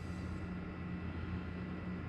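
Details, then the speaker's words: iCharger X8 during 20 A set internal discharge (about 14 to 16 A), cooling fan kicking on near 103 degrees: steady low drone with humming tones; failing fan sounds rough and worn, to be replaced. "as that temperature heats up it gets to be about 103 you'll hear that cooling fan kick on usually doesn't take very long because we're not using an external resistor bank with this eye charger we're just using the internal"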